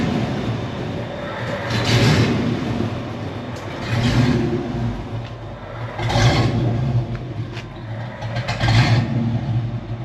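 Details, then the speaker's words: Engine that ran great before, now with correct parts and O2 sensors installed: surges and fades about every two seconds, catching then sinking as if to die, cold or hot right after cranking; stalling at idle, cause unknown. "But now, as soon as you crank it, cold or hot, it does that."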